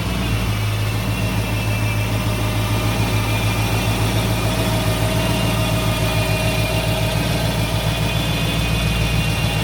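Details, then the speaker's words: 1955 Ford F100 pickup with a 302 V8 idling steadily and evenly, with a faint constant whine on top from the gear-drive timing set; the engine sounds healthy. "Now, if you hear that little bit of whining sound, this thing's got a gear drive on the timing set. So a lot of guys like to hear it. They think it sounds like a supercharger, I guess."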